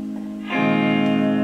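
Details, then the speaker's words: Blackstar HT5R valve amp after a substitute capacitor was clipped in: quiet start, then a clean strummed guitar chord with no 50 Hz mains hum underneath; hum fixed. "Oh, look at that. That just killed that completely stone dead."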